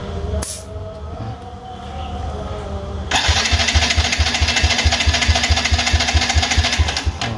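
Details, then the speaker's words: Yamaha Jupiter Z1 injection cranked on the starter during a compression test, owner complaining of a freely spinning starter and lost power: fast, even cranking at about two beats a second with little resistance; compression far below the roughly 10–12 standard, confirmed leaking. "sudah paling maksimal guys Ini sudah berhenti dan ini fix kebocoran kompresi"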